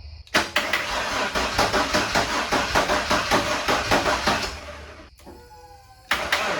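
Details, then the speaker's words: Ford F-150 former plow truck, first start after a head swap from a junkyard engine: it catches and races as if at full throttle, then falls away. High idle caused by a leaking intake manifold that was not sealing. "well something's unhappy but it ran I don't know why it's like Full Throttle"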